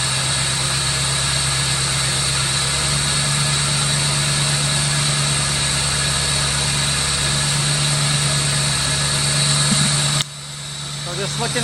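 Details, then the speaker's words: 1985 Chevrolet Corvette C4, sat about 2–2.5 years, running on starting fluid with the air intake off the throttle body and no smoke from the rear: an uneven, lumpy idle wavers for about ten seconds, then cuts out. Rough idle with a massive air leak up front. "it sounds not that bad besides the massive air leak up front"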